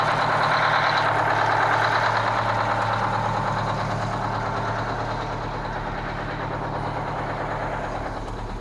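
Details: Kenworth cabover diesel truck "Marla" with a fuel problem, idling with a steady low chug and a slight recurring stumble; misfire from a faulty injector on the third cylinder back on this side, to be replaced.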